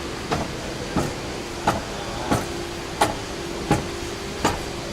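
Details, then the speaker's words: Toyota Land Cruiser 150 steering rack, engine off: sharp knock each time the wheel is swung through wider travel, about every 0.7 seconds; rack play judged within normal limits, no concern. "вот так что это нормально то есть я проверял на праздниках вот тут вот нескольких это пределах нормы и не беспокойтесь за эти штуки"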